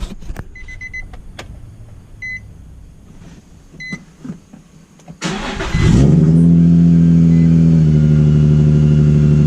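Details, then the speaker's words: Supercharged Nissan 350Z after retightening a leaking fuel line at both ends: catches after a few chirps and settles into a steady, even idle with no misses; sounds much better than before. "that certainly sounds much better than last time let's see if we're still leaking"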